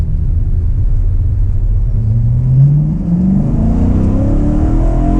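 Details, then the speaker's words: BMW E92 M3 S65 V8 at full throttle to 8,000 rpm after replacing the exhaust manifolds (headers) that had caused permanent limp mode since a track day: smooth clean pull, note climbing steadily, no ticks or leaks; healthy after repair. "Foot to the floor. 8,000 RPM. Okay, well, I'm gonna go drive around a little bit more."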